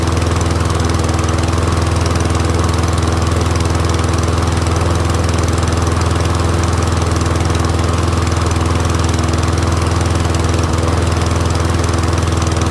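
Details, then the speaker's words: Troy-Bilt Briggs & Stratton rear-wheel-drive mower after ultrasonic carb clean, warming up with smoke clearing; steady even single-cylinder drone at constant speed, no misses or surges; running smoothly. "I'll let it warm up and I'll see if the pitch changes. Motor's running good. Let it warm up."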